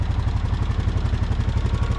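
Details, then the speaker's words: 2015 Honda Foreman 500 4x4 fuel-injected ATV at idle: quick light tick riding on a steady lumpy idle; owner wonders about injector or intake valve lifter, then, using a screwdriver stethoscope, thinks it's the injector ticking. "I can hear a little tick. I'm almost wondering if that's the injector ticking, because I don't really hear it right here,"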